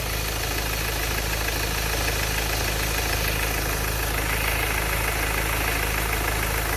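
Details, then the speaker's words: Ford Ranger 2.2 with turbo, idling: a steady, fairly regular light tick, about three per second, that keeps pace with the engine. The owner suspects the lifters but is unsure. A separate whine, seemingly from the turbo, is also present. "But this is the noise that I am more concerned about. So I'm not sure if that's those are the lifters making that"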